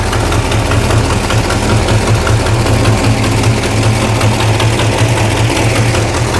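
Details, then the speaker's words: 1969 Plymouth Barracuda V8 restarted after about three months sitting: loud, lumpy idle with a sharp puffing tick on each exhaust pulse; exhaust manifold leak heard blowing out the bottom between cylinders 1, 2, 3, 4 and 6. "oh definitely an exhaust leak okay yeah it's blowing out the bottom between uh cylinder 1 2 3 4 and six"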